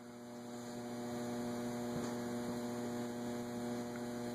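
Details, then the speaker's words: Antique Robbins & Myers 5-blade ceiling fan with preheat fluorescent light, newly hung, running on low: steady low hum with a faint even tone, no scraping or stall surges. No wobble and not stalling so far, so no oil, WD-40 or capacitor change needed yet. "So it's not going to stall out. As far as we know. Well, it's not right now."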